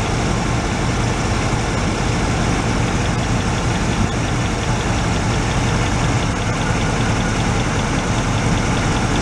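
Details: 1986 Oldsmobile Cutlass Supreme, revived after sitting about five years, warmed up: loud uneven lumpy idle, rough running; grounding out cylinder 3 changes nothing, so cylinder 3 is suspected not firing, with its plug wire under suspicion.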